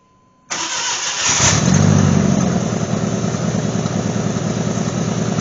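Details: GMC Sonoma after replacing a holed muffler with a used straight-through glass-pack type muffler: silence, then cranks and catches, settling into a steady, even exhaust burble at idle with no puffing or ticking leaks; normal.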